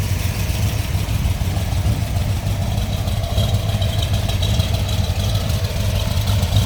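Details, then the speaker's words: 1970 Ford Mustang Mach 1 with freshly built V8, solid lifters and mild cam, just started: deep uneven idle with a slight lope and light solid-lifter ticking; lopey idle from the performance cam, running healthy. "Like I said, you can hear those solid lifters. A little bit of a shake to it. It's that little cam."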